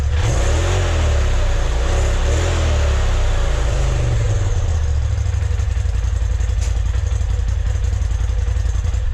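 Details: 2020 Polaris RZR Turbo S Velocity turbo engine on the stock exhaust, before a Trinity Stage 5 slip-on: it fires and revs up and down smoothly, then settles into a steady idle with a deep, even note; normal.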